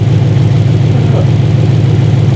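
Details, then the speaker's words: First start of a race-car V8 after fuel pressure and leak checks: deep, even burble at steady idle, no misses, surges or knocks, no limp mode; healthy idle. "Oh, it's just idling perfect. Yeah. No hard limb, nothing."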